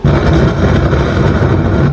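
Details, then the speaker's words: 5.1 home theater subwoofer emits loud deep droning hum the instant it is plugged in, caused by failed TDA2030 amplifier ICs, which are to be replaced. "এরকম আওয়াজ হচ্ছে মানে একদম আইসির সমস্যা।"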